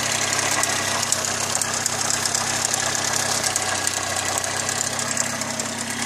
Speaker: now that was just to give you the idea of how this thing sounds and to me that sounds like the sucker's ticking quite a bit